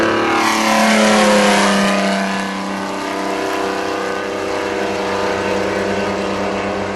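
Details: Chevrolet D60 truck with a Detroit Diesel 4-53N two-stroke engine at its 3,000 km service: a deep roar whose pitch swings up and down with throttle and rpm, an airplane-like blower drone, no knocks. Healthy running.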